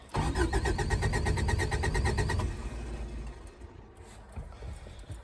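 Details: 1984–85 Subaru Brat, 4-speed dual-range 4WD, Hitachi carb with electric choke, sat about 10 years: steady starter cranking at about four turns a second, never catches; no fuel pump heard, some oil pressure; cranks but won't start.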